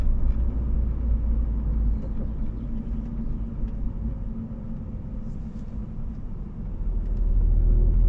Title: BMW Z4 rear end humming noise at low speed acceleration /hátsó zaj alacsony sebességű gyorsításnál